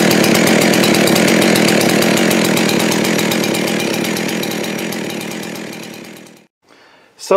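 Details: Husqvarna 372XP X-Torq chainsaw, dead saw salvaged with new rings, honed cylinder and lubrication mod; after fitting a later-version carburetor that cured its high idle, low even patter, no hunting or surging, then winds down and stops. Normal idle.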